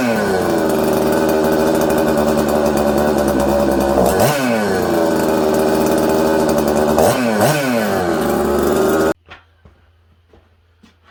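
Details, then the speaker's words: Newly built Buckin's 266 chainsaw at first firing: screams at high revs, dips, recovers, and is slow to drop, then cuts out instead of idling; erratic, hard-to-tune idle, suspected air leak causing lean running. "okay so here's a clip from the other day when i first fired the saw and you can hear it it's not idling good it's hard to keep idling it's hard to tune it's just all over the place"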